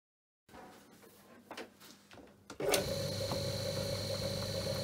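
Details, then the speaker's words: Myford lathe motor, 4-pole, resilient mounted, converted from plain to 6202 ball bearings (shaft turned ~16.1 mm), at top speed; steady clean hum. "i also tried the vfd and the three-phase motor and upped the rpm to at least 1500 just to see if the bearings got hot but they didn't so it runs a little bit more noisy but cool"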